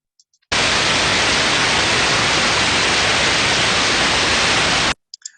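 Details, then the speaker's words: Heterodyned ultrasound of a newly installed, adequately lubricated bearing: smooth, uniform white-noise hiss with no crackle or grinding, a good bearing. "an example here of a good bearing would be that what it sounds like"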